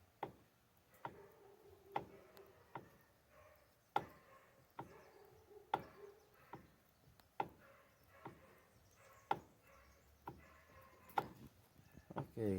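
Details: Mitsubishi L200 Triton during column reassembly. Sharp single clicks about once a second come as the wheel turns, otherwise quiet; the owner thinks it sounds like a bearing, cause not pinned down.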